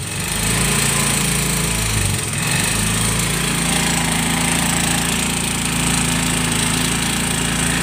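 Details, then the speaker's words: 2018 Yamaha Mio M3 that starts hard and tops out near 20 km/h: at full throttle the engine drones at a flat pitch and never revs; clogged fuel injector, weak fuel pump and a scored bore, blamed on late oil changes. "Nah itu kalau untuk permasalahan yang di bagian injeksinya, yang dia di bagian alat mesin ya, maksud saya ya, kenapa gasnya itu tidak mau naik, yaitu tadi injektornya dia mampet, nggak bisa ngalir."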